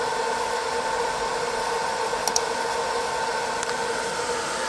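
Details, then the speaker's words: 20 W diode laser engraver module, top-mounted fan running continuously, phone a pencil distance away, after fitting three 3mm laser-cut spacer sections. Smooth, steady airy whir, harsh high-pitched whine gone: normal fan noise, quieter with better cooling. "now I hope you can hear that harshness that high pitch noise has disappeared so it's far less painful on your ears"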